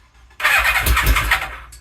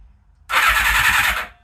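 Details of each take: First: Suzuki Katana motorcycle after rewiring, carbs unclamped with leftover bench-test fuel, slight choke: about a second of fast starter whirring with a couple of weak firing coughs, no catch; cranks but won't start, owner suspects not enough fuel in carbs. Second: Suzuki Katana motorcycle after rewiring, coils not yet connected: brief even starter whirr of about a second, no grinding or clicks; starter spins engine cleanly, normal cranking.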